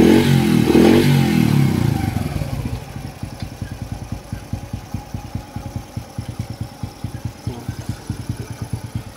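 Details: Engine after the timing chain tensioner is refilled with oil: brief rev, then an even idle putter of about 3.5 beats per second with no chain rattle, tension now good.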